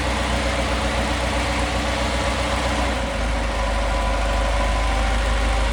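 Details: Cockshutt 80 tractor, recently brought home, low on gas, only ever run 10-15 seconds at a time: steady low rumble with even firing and no knocks or misses, settling into a smooth idle; normal idle.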